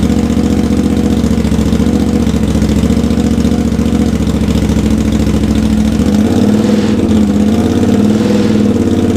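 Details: Honda GL650 on its first start after a full rewire and a roughly three-year build, with stock headers, a custom crossover, a merge and a Cone Engineering muffler: smooth, steady idle with no stumbles or knocks, smoke from paint and heat wrap baking on; normal idle.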